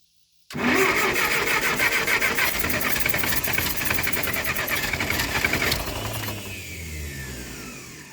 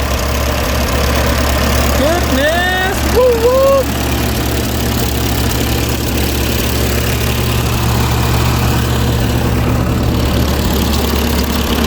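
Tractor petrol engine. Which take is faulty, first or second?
first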